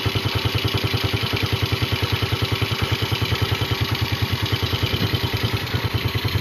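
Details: Yamaha Vega RR/ZR single after combustion-chamber carbon cleaning with foam cleaner: steady, even putter of about three beats a second, no misses or rattles; normal smooth idle.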